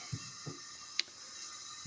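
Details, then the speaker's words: Old Jeep F134 engine that started rod rattling, leak-down test under 20 psi air, carburetor and oil pan off: steady high airy hiss escaping past piston rings, not from intake or exhaust, faint handling knocks. "and you can hear it hissing and it's not even 20 psi does not sound like it's coming out of the intake"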